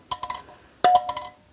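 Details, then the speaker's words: Bosch K-Jetronic air metering unit, air plate centered: light metallic clinks as plate drops and bounces on its spring, moving freely without rubbing; correct. "You want that noise, and that noise is sitting on the spring."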